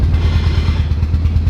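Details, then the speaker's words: K20-swapped Honda Civic, engine running, clutch just made working: loud rough clatter and rhythmic thumping only with the clutch pedal pressed, despite a brand-new throwout bearing; cause unknown. "It's only when I press in the clutch, but it's terrible. Terrible, and it's supposed to be a brand new throw bearing, so I'm not entirely sure."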